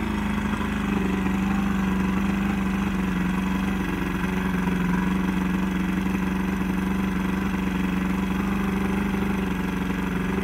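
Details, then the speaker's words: Old Johnson 90hp outboard on a 1987 Crestliner aluminum boat, sat about a year, fresh plugs; runs with a heavy, uneven wavering drone after starting; wants to run but needs carb work, carbs to come off and fuel lines to be cleaned. "all right well she seems to want to run but she's going to need some carb work"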